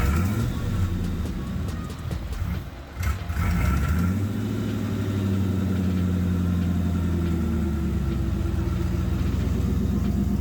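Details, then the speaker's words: Turbo Lincoln Town Car V8 at first start: lumpy idle with a sharp puffing tick on each firing pulse, about four per second, from a passenger-side exhaust header leak, which limited tuning as AFR readings were off. "fortunately I'm sure as you can hear we did in fact have a header lead on the passenger side at the time"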